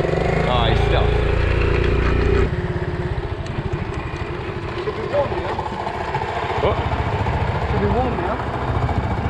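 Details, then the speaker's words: Postie motorcycle kicked into life: the single thumps unevenly with a ragged, lumpy idle. It had a long-running engine rattle and vibration and the gearbox still works; cause suspected, not confirmed. "oh look at that that was the most G L kick ever that sounds bad"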